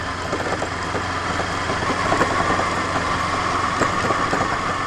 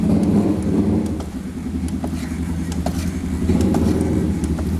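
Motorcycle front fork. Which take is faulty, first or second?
first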